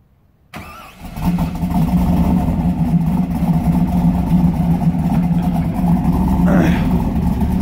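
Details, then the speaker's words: 2001 Chevrolet Camaro SS, cam and bolt-on build, after new PCM, out of gear with a light rev: catches within a second and settles into a strong, steady low idle, even rhythm, no knocks or misses. Normal start and idle. "just rev it up just a little bit not too bad for what's done to it it's basically a cam bolt-on car doesn't sound too gosh darn shabby"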